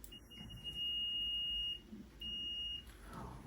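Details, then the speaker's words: Electrician's multimeter on its continuity setting: a steady high beep for about a second, a short gap, then a shorter beep, indicating a closed circuit. "and of course you can use it for checking continuity"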